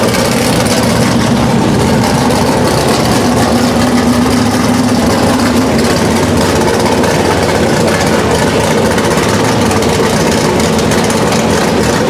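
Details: Chevelle V8 first start on a new Edelbrock Pro-Flo 4 EFI, injection not yet fine-tuned, open headers: loud, raspy, even rumble with a steady idle and no misses; running cleanly.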